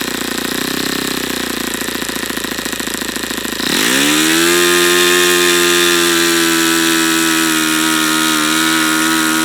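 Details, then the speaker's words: YS FZ63 model engine, first run, 22% nitro 18% oil fuel, OS F plug: rough buzz climbs then holds one steady high note, won't reach full throttle; owner suspects debris in the fuel regulator. "it's just as odd I don't understand why it's not going to Full Throttle now"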